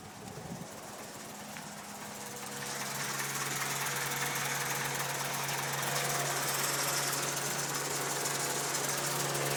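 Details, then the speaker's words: Honda B18C1 petrol engine with Holley fuel pressure regulator, 450cc injectors, chipped ECU and 3-bar MAP sensor, idling cold: low, lumpy, rough idle, running very rich with dark smoke, rough even when revved; cause was a poor wiring connection to the MAP sensor. "runs like [Applause] ass it's blowing out smoke can't really see it but it's like a whitish kind of it looks black though too I don't know but it's running very rich as you can see"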